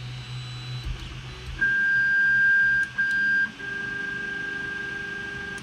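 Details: Creality Ender 3 Pro 3D printer re-homing while the hotend heats toward 200 and the bed toward 60: short whirring stepper tones, a high steady whine then a lower hum, as each axis reaches its limit switch cleanly; normal homing.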